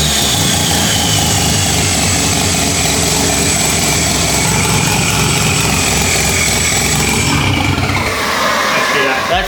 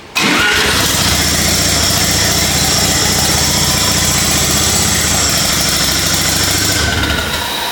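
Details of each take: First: Lamborghini Diablo replica with 13B turbo rotary, first start after timing adjustments, no coolant in engine, very smoky: fires up and settles into raspy, uneven-sounding but steady idle with bright exhaust note; engine running normally. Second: Home-built Lamborghini Diablo replica with 13B turbo rotary swap, restart after timing change, turbo spooling on crank: loud raspy engine catches and runs unsettled; rough running because ignition timing not yet set properly.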